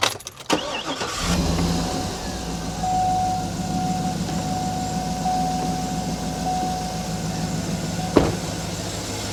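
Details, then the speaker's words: Cadillac Escalade V8 started after coolant refill, drawing down coolant and air pockets; cranks, catches and settles to steady even idle with faint constant tone, runs great; normal idle. "Doesn't it run great? It runs really well. Phenomenal."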